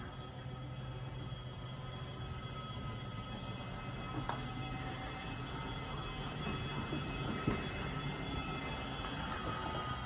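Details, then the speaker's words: Laredo fifth-wheel RV slide-out running in and out: steady motor drone with thin, high squeals through the whole travel, from a slide not lubricated in years. "that is a slide that has not been lubed in years so we're gonna do the same thing we did last time"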